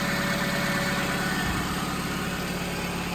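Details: 2005 Chevy Malibu 2.2L four-cylinder, 250,000+ miles, first start after head gasket and timing kit replacement. Steady, even idle with no knocks or misses; low coolant warning while bleeding coolant, no leaks, running smooth.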